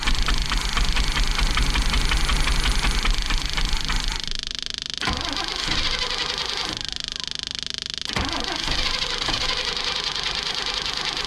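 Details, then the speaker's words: Big-block Chevy in a motorhome: the starter churns loudly at about three beats a second but the engine won't catch, and the pump is noisy until it picks up fuel. Cranks but doesn't start, with no fuel delivery yet. "Well, the starter's working. We're just not getting fuel yet."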